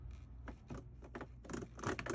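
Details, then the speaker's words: Whirlpool/Maytag commercial top-load washer: uneven dry scraping bursts as the shifter engages from wash into spin; stripped drive clutch (splutch) slipping, needs replacement. "when it grabs when the shifter that when it moves this way pushes it you hear that noise and then it's going to start to spin the basket"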